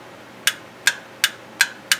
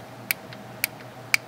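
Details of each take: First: Mitsubishi F4A33/W4A33 automatic transmission shift solenoid A/B (orange and yellow wires), bench-tested with a Milwaukee M12 battery: five crisp clicks two to three a second as the plunger bottoms out. This is a healthy solenoid. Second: Mitsubishi F4A33/W4A33 automatic transmission shift solenoid A/B (orange and yellow wires), bench-tested with a 12 V Milwaukee M12 battery: three faint sharp clicks, partly connector spark; weak solenoid click.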